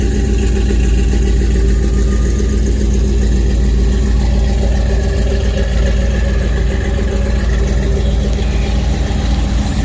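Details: 1969 Dodge truck at idle: a strong, even pulse of about three or four beats a second, smooth and steady with no tapping or misfire; healthy running.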